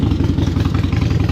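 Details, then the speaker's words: Used Harley-Davidson Iron 883 V-twin with a fresh, fully charged battery. Loping but even low idle with strong pulses and no ticking or knocking; electronics all work: normal idle. "electronics all good, seems to be running all right, sounds good."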